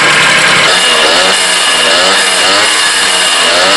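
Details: Two-stroke engine after reed (petal) valve repair for a no-start with wet spark plug: high, buzzing note holds steady and even for several seconds before cutting off, running cleanly.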